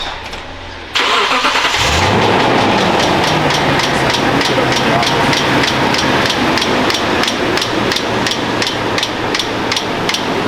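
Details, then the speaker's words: Toyota Tundra: engine starts, then sharp steady ticking about three a second over idle, changing with rpm, from the tensioner/alternator/power steering area; serpentine belt torn, missing a full rib, jumping ribs on pulleys. "We are missing a full rib of that belt. Um which is most likely causing that clicking noise because I did notice that the belt is jumping from rib to rib on or on the ribs of the pulleys when it's when it's on."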